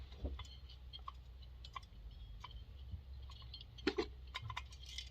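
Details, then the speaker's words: McCulloch 7-10 chainsaw that locks up, being disassembled: irregular light clicks and ticks as a part is shaken, showing something loose rolling around inside. "Something is rolling around in there. Something is rolling around."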